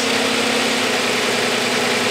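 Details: Six-cylinder car, coil packs three front and three rear, idling evenly and smoothly with a steady hum and no stumble; all six cylinders firing normally.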